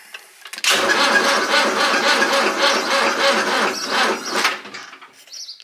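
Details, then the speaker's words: Fendt Farmer 105s diesel tractor, cold start at −7 °C after cranking for oil pressure: sluggish cranking at about four compression beats a second that never catches; a weak battery is blamed and it was put on a charger. "jetzt geben wir eben Start ja kommt er dampft aber echt kalt die Batterie ist scheiße"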